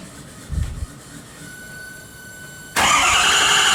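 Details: 2015 Ford 6.7 Powerstroke diesel freshly swapped into a 2011 F-250, first start: faint steady whine, then the engine lights off abruptly into a loud, even clattering run; healthy first start.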